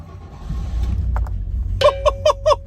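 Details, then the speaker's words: Rolls-Royce started after sitting over a year, battery just reconnected: catches first try and settles into low steady idle with no misses or knocks, dash chimes ringing, oil pressure slowly rising; healthy start. "first try look at that we've got oil pressure it's alive so the last time this car was out was Festival of the unexceptional 2023 not this year's event so it's been sitting here over a year and look at that started straight up"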